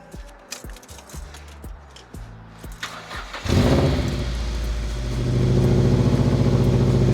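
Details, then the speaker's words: Mazda MX-5 NC after full exhaust midpipe replacement (old one rusted, scraped flat): cranks, catches, settles to even slightly loud idle, checking for leaks; no puffing or ticking; normal idle. "I'll probably turn it on, see what it sounds like, and just gonna check, see if there's any leaks."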